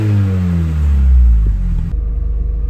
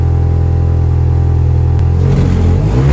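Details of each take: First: Classic Mini, finally fully warm, revved a little more: deep, smooth exhaust rumble rising and settling with each throttle blip, no puffing or ticking; exhaust sounds sealed and healthy, a nice normal note. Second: Mini, warm engine revved, exhaust with holes drilled in the catalytic converter and pipe, before welding repair: a deep booming drone that swells as revs climb; an exhaust leak through the holes.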